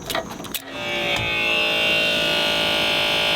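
A few clicks, then a small electric pump starts at once and whirs steadily with an even buzzing hum.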